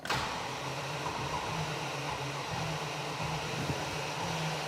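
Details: Range Rover V8 project, fuel pump fitted in the fuel tank outside the vehicle, engine being cranked: a steady low electric hum under a hiss of flow as fresh fuel comes through; the pump delivers normally.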